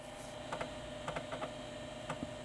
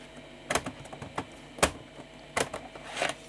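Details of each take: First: 1989 Philips PCL 304 Intel i386sx laptop floppy drive booting a DOS boot floppy: a steady spin hum with crisp clusters of head-stepping ticks, access light on, booting successfully. Normal floppy drive seek. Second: 1989 Philips PCL 304 i386SX laptop single floppy drive: scattered sharp ticks, no smooth seek; won't boot from a floppy, head seems unable to move; owner suspects cable damaged during disassembly or a dead drive.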